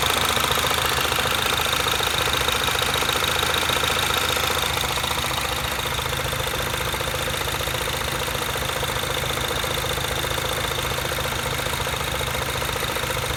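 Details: Mini Cooper S R56 at even idle after replacing the vacuum pump, timing chain tensioner (updated part number) and valve cover; a fast, regular light ticking of about three per second rides over the engine, source unclear and needing checking.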